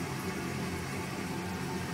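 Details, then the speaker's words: Toilet that flushes normally but makes a noise once the tank is full: a steady low hum and hiss continues without letup after filling because the fill valve isn't shutting off fully. The valve is to be replaced. "You have to wait for the tank to fill. This noise, because it's not turning off all the way, so we're going to replace it."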